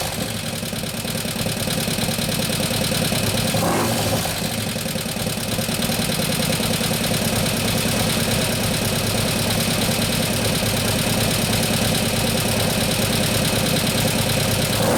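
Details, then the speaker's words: 2015 Harley Road Glide FLH 103ci Twin Cam after a camshaft and new oil pump install: loose idle with a busy, fast ticking over the twin's thump because the lifters have not pumped up yet. Lifter tick, lifters not pumped up. "being Chitra pop-up see the change shoes are not pumped up or looking"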